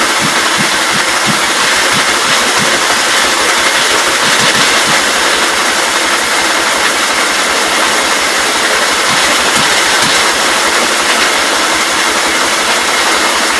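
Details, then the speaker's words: 1944 L tractor with magneto, running on fuel poured into the intake: ragged uneven firing pulses about three a second under a hiss, won't settle or hold idle; misfire, suspected bad fuel problems or dirty magneto points. "Kind of trying. I may just have to pull this mag off and clean the points. Yeah, I don't know. It should have at least sat there and idle."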